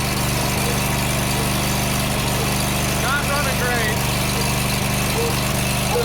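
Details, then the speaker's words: John Deere GT245 mower engine idling unevenly with a loping, stumbling beat; running rough, owner suspects a fuel problem and possibly a faulty ignition key switch, carburetor not yet opened. "She's running better, but she's still running terrible. I'm thinking it's fuel related"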